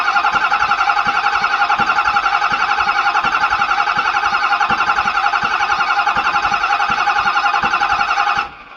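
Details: Ford F450 6.7 Powerstroke, non-running with a knock, cranking during a compression test that read about 350 psi on cylinders 5 and 6: even starter cranking about 220 pulses a minute without firing; normal cranking.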